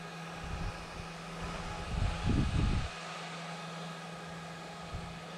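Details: Small 3D-printer fan with broken blade replaced by a 3D-printed one, run at manually adjusted speeds: steady low hum, brief handling rumble, little rattle; works as before, only slightly off balance, may need more clearance.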